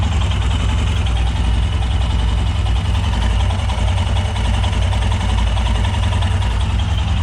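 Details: Royal Enfield Himalayan single just after DIY oil change with Motul 5100 15W50 (2 litres) and new filter at 15,000 km: even, steady thumping idle with regular beat, no tapping or rattle; no leaks. Normal idle.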